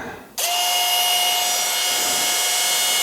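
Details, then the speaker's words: Makita XMU04 cordless grass shear motor wired straight to the 18 V battery through the switch, about 18.7 V: spins up instantly to a clean steady high whine, holds speed; runs normally. "it works like a hot damn"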